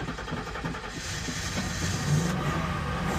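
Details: Ford Econoline van with crank-no-start, after a fault at the 100 A mini fuse box was found and power restored through it: engine catches and revs cleanly with an even rise, no misses or stumbles, healthy.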